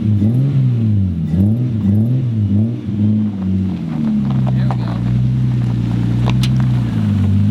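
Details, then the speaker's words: Nissan 240SX first start-up after build: a few short blips that sag straight back to a lumpy idle, no free rev, delayed pedal response; old primitive ECU suspected to put car in limp mode, dumping fuel. "so you start the car up and when you push down on the pedal nothing happens push it all the way down on the floor you wait a beat then it moves it doesn't free rev or anything like that it just blips"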